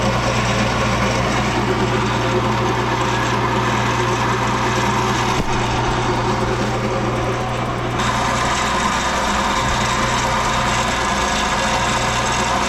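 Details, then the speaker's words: Infiniti G37S with running engine: a steady low moan and busy whir; owner suspects a worn power steering pump and also hears grinding noises at startup; recorded before the pump was replaced. "I have an idea what I think it is it sounds like it's the power steering pump because I'm also hearing some grinding noises when I start the car"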